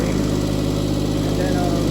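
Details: Skyjack scissor lift with a three-cylinder Kubota engine, after a new battery, a new fuel pump and a misfire repair, at idle. A steady, even idle with an unbroken low beat and no stumbles; the owner hopes it is all sorted.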